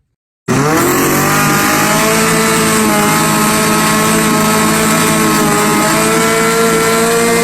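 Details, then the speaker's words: Outboard on a restored 1986 Bass Tracker at wide open throttle, 32.6 mph: steady high-pitched scream held flat out, smooth with no stumble or surging; healthy full-throttle run. "32.6 miles an hour wide, slap open, and it is nothing but pure piss and vinegar."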